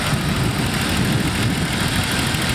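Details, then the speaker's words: 1987 BMW M535, 3.5 L single-cam engine, 177,000 km, at idle: light, fast clicking from solid lifters that need adjustment, making the idle slightly rough and shaky. "you can hear the engine's making a lot of Clickety noises that's because it's running solid lifters inside and it seems like they need to be adjusted"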